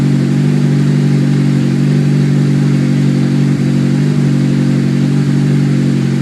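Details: Honda S2000 at cold start: fast, steady cold idle drone with a faint, irregular extra noise riding on it; owner doesn't know the source, cause unconfirmed.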